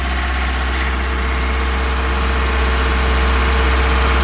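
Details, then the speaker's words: Ford Cortina P100 four-cylinder running after seven months unused, warming at idle; steady even low thrum, no misses or knocks; all four firing cleanly, fuel leak at bottom hose suspected from ethanol. "anyway that's running that's starting to warm up engine starting to feel a little bit"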